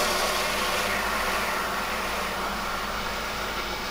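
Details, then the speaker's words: Pump monitored by SAM4 current/voltage condition monitoring as cavitation is deliberately introduced: constant hiss with gravelly crackle over the pump hum, like pebbles in the flow; pump cavitation. "let me show you how I'm starting to introduce cavitation here and if you look at the cavitation score on our dashboard you'll see it's green and green means good but now as you can hear temptations being introduced"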